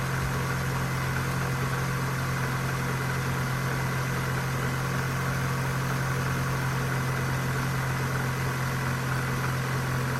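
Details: 2001 Vauxhall Corsa C 1.4 16V just after a cold start: smooth, even idle with no ticking yet; ticking begins after 5 to 10 minutes and grows louder as the engine heats.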